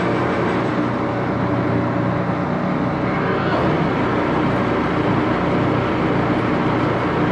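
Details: Axelson 14x30" heavy-duty gear head lathe run through its speeds, headstock filled with AW68 hydraulic oil (about SAE 20); loud steady gear drone and dense rumble, no knocks; noisy but normal running.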